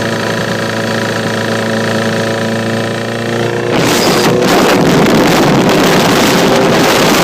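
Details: 2009 Honda Repsol motorcycle at steady idle with a light, fast tick about four times a second, then swamped by a louder rev; engine ticking, cause unknown.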